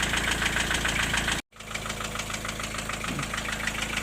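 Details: Diesel engine at idle: steady, fairly even hollow knock about three per second. The owner first suspected a turned valve shim. The knock comes and goes whether the engine is warm or cold. Replacing the vacuum unit did not cure it.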